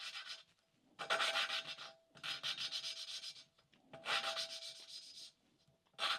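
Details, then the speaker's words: 1988 Suzuki GSX-R1100 cylinder head valve being hand-lapped with oil on the valve, even back-and-forth strokes that start grinding and smooth out, with no harsh catching; the valve seat is cleanly mated. "you're going to hear the same sort of grinding sound and then it should smooth without"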